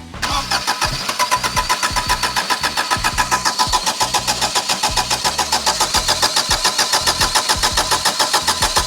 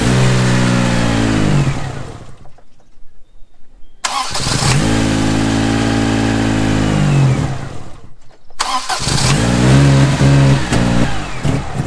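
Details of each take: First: 1987 Daihatsu Charade GTTI 3-cylinder turbo, sat 10 years, cranked with spark confirmed, plugs cleaned and fuel pump relay checked: the starter cranks evenly at about 3.5 beats per second but never catches. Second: 1987 Daihatsu Charade GTTI three-cylinder turbo hatch, sat unused for 10 years, cranks, catches and settles to a steady idle, then revs cleanly up and back down twice; engine running properly again.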